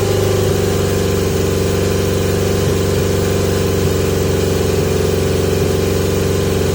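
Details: 1980 Yamaha XJ650 four-cylinder on pod filters, before taping them to restrict airflow. Steady, fast idle with a busy mechanical buzz that never settles to a slow tickover. High idle, cause suspected, not confirmed.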